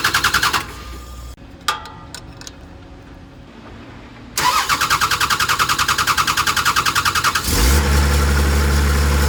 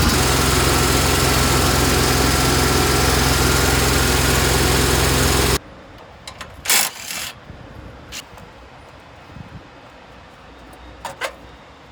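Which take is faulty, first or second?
second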